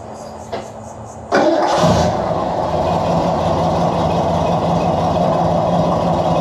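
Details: Cobra cold start after converting its leaking steel fuel line to Earl's Pro-Lite 350 flexible AN line with Aeromotive filters: starter catches cleanly, settles straight into a steady, even idle with no misses; healthy.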